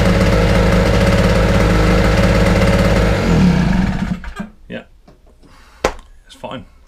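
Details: Small Wolf 950 two-stroke generator from a job lot, just restarted after choke adjustment: steady buzzy drone for three seconds, even and unbroken, then cuts off; sounds healthy, running normally.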